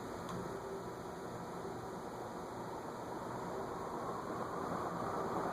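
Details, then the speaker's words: Envirofan Gold Line 160F-7 industrial ceiling fan (c.2013), tested with blades for a reported crackling noise: an even airy whoosh with a faint, low 60-cycle electrical hum, no knocks or crackles. It runs normally and the hum is acceptable. "There's definitely more of a 60 cycle hum than some gold lines, but it's not bad."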